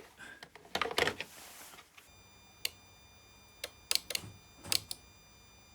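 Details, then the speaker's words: Ford Transit Connect van that won't start: relay in the engine-bay fuse box (behind air filter box and battery) gives sharp, dry clicks with each key turn, but the engine does not crank and the starter makes no sound; battery already tested. "okay so that first test I carried out we could hear the relay clicking that rules out the second symptom which is the engine does not crank slash the relay does not click so we're going to follow this guide here the the engine does not crank slash the relay does click"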